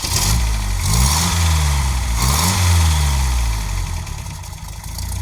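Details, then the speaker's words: 1978 MG after radiator, thermostat gasket and valve cover gasket work: the revs climb and fall, then it settles into an uneven, lumpy idle, firing on at least three cylinders. The engine is misfiring. "He's firing on at least 3. I'm gonna take it. I like it, folks. She's a little naughty. Ain't gonna lie."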